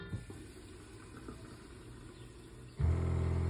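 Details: Van water system switched on from the control panel: quiet at first, then the small water pump kicks on with a steady low hum and buzz, running smoothly as it builds pressure.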